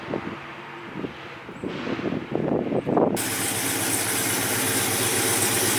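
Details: Freshly built 1971 Chevy Chevelle convertible with a brand-new supercharged LT4 V8 swap, CVF pulley kit and new exhaust, just started. It settles into a deep, steady, even idle with a smooth exhaust note and sounds healthy.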